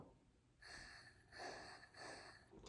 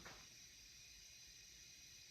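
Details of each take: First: 2010 Subaru Forester engine out of the car, crank turned clockwise by hand while finding top dead center: soft short puffs of air hiss out as the cylinder comes up on compression, ahead of a leak-down test. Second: 2010 Subaru Forester parts engine, fourth leak-down test at top dead center: a steady, soft hiss of air from the oil filler, with little heard at the coolant. Air is leaking into the crankcase; the cause is not confirmed.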